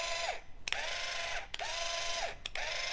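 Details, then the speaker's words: Classic-style linear actuator with metal spur gears, run from a controller and compared with a quiet 400 lb Super Duty actuator. Whirring gear run with a falling tone at each stroke end and sharp clicks; noticeably noisy. Normal spur gear noise. "but that is quiet listen to that that's a very quite actuator but if I run save this classic style actuator it's quite noisy"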